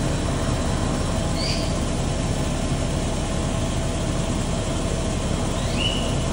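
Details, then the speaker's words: Toyota Kijang LGX 1800cc, at idle; steady, even idle with fine light injector ticking over a low hum, which is characteristic of the 1800 engine and nothing wrong; slight distributor seal seep noted. Normal idle with injector ticking. "kalau suara 1800 itu ada titik titik titik injektornya suaranya memang seperti itu ya"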